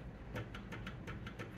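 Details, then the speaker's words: Trombone valve linkage after adjusting the collar screw finger tight against the ball end to remove slop: soft even clicks about six a second from the bumper, no metal-on-metal linkage rattle; slightly louder because the valve is completely dry. "no but we're missing that metal on metal linkage noise that is just wasting energy and of course this is a little louder because this valve is completely dry"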